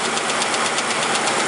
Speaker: Now you hear that? That is coming from the front of the engine. It's the chain bouncing around, hitting either the aluminum cover or the top of the valve cover.